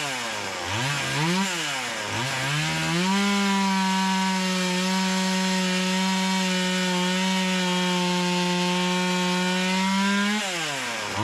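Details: Stihl MS170 clone (Amazon 170) with a Stihl steel carburetor replacing the Holzforma one: revs blip, then hold a clean, steady high pitch through the cut without bogging; pulls strongly. Earlier carb sounded doggy.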